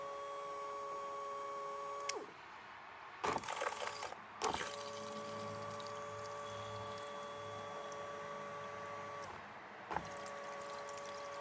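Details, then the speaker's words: Triumph T100 Bonneville (0 miles, long stored) fuel pump bench-run: a quiet steady electric hum with brief clicks as it switches off and on; the pump runs normally, and a new filter and tank clean are planned. "So that wants to be coming out of the black side. Yeah. That looks like it's going to be fine, that pump."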